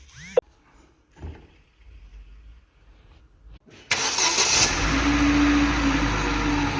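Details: Daewoo Nexia with a suspected alternator bearing noise, run with the alternator belt removed: quiet until about four seconds, then it catches and holds a steady, even idle with no whine, rumble or bearing growl. Normal idle.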